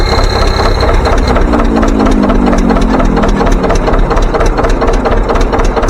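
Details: John Deere 720 two-cylinder pony-start diesel tractor, started with the pony motor on modified coils firing only two cylinders. Slow, even two-cylinder popping at idle, a steady loping beat with no knocks or misses: normal idle.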